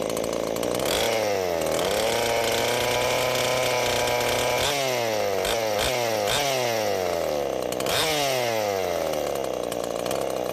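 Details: Husqvarna two-stroke chainsaw after an oiler mod with a new oil pump, idling to check the oil flow, then blipped several times: it revs up cleanly and settles back to a steady idle each time, running healthy.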